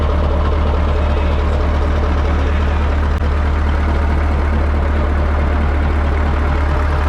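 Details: 1980 Peterbilt 359 EXHD with Caterpillar 3408 diesel, left sitting for years, fires right off and builds air; deep, steady idle with an even low beat and no knocks or misses, engine sounds healthy.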